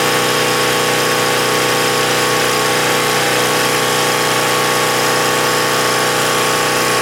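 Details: Husky 1850W generator (about 5 hp) with Mikuni T3044 carburetor converted to natural gas, mixture about right; steady, even buzz with no misses or surging, running smooth and better than on gasoline.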